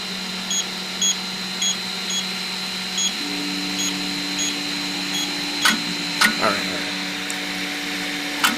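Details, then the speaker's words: Piocreat G5 pellet extruder 3D printer, speed turned down from 200: steady motor hum with light regular ticks, extruder stepper turning smoothly with no stalls, near max usable speed. "all right turn it down here we go all right I'm not hearing any extruder stepper stalls we're cruising now nice all right this is probably the max speed I I would go here"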